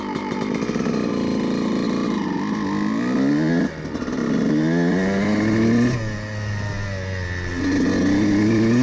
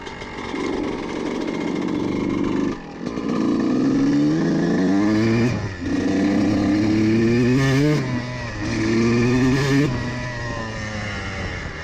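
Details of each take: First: Two-stroke dirt bike carburetor jetting at about half throttle. The needle position has been changed from too rich, which was spitting, to correct. It now blips up and settles cleanly with a smooth midrange and no spitting or stutter. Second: CR125 two-stroke with the needle clip in the richest position, ridden at about half throttle through the gears. The engine pulls but keeps stumbling and cutting out in the midrange, showing it runs too rich on the needle.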